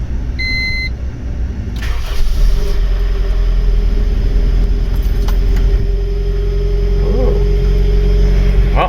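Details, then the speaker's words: 1997 Honda CR-V after misfire repair: brief chime, engine cranks, catches and settles into steady, even idle, quieter and smoother, no shaking, check engine light off. "the car already sounds a lot quieter a lot smoother"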